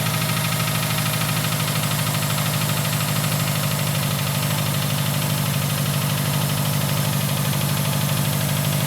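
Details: 2011 Subaru STI flat-four cold start, moved on a cold morning and shut off during warm-up enrichment: steady uneven knock about three a second over low rumble; likely a fuel-loaded cylinder pulling timing, though rod knock is possible if it persists.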